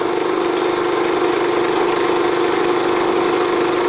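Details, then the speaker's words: Energizer eZV3200P inverter generator switched to eco mode, heard from about ten feet, drops to lower rpm with a low, steady, even hum and no misses or knocks; normal eco-mode idle, reading mid-to-high 50s dB. "put it into the Eco mode that lowers the RPM down quite a bit quieter"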